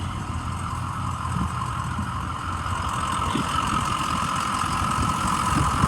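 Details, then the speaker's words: 2006 Ford E-450 Super Duty Blue Bird Handy Bus, 6.0 L diesel, recently retired, needed starting fluid to start; steady idle chatter with faint whine, no knocks; check engine light on, cause unknown; normal idle. "it sounds really good the check engine light is on so that could be a sensor that could be anything"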